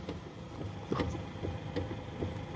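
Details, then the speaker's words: 2014 Toyota Harrier steering with a tilt and telescopic motor, wheel turned back and forth with the car standing still: dull "tek tek" knocks about every half second from the top of the column, loud on bad or wavy roads. The worn steering damper is suspected and was replaced. "jelas ya tek tek jadi bunyi itu yang muncul kalau mobil lewat jalan jelek bunyinya nyaring"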